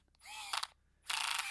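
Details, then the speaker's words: Screwdriver with a torque clutch driving a screw into a dye rotor prototype: short motor whir, then a fast rattle of sharp clicks as the clutch slips once the screw seats; normal torque-limiting action that avoids stripped threads. "The reason I like the screwdriver, it's got this clutch. That means you don't always often strip threads."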